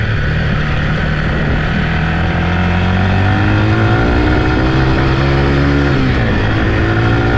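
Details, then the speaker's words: Yamaha TT-R 125 single ridden: revs cleanly through the gears with crisp even exhaust note, pulling smoothly under load; runs good, clutch and brakes work, may need front pads. "it ain't really a bad bike runs good clutch is good brakes work might need front pads"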